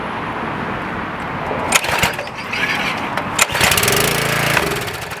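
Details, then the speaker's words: Craftsman 2500 PSI pressure washer, Briggs & Stratton 6.75 engine (model 168212), no-start with empty gas tank, run on starting fluid through the air intake: catches, rattles unevenly with loud pops, then dies as fuel burns off; carburettor or fuel issue. "So it runs and dies, which means it's running out of fuel from the starting fluid. As soon as it burns up, it's no more. So I know it's a carburetor issue, or fuel issue."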